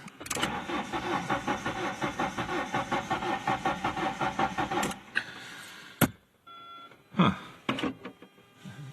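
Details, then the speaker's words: Engine with a manual 5-speed that suddenly quit firing, with no spark, no noid light, no CEL and a pressurized fuel rail: the starter churns evenly at nearly two turns a second for five seconds without catching; cranks but no start. "It doesn't sound right, does it?"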